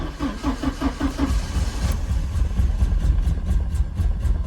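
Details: Slow, even cranking pulses about five a second, then the engine fires and stumbles roughly without settling; hard start on a 1987 Porsche 924S stored almost 10 years, runs very rough, one spark plug found very wet afterward. Cause suspected, not confirmed.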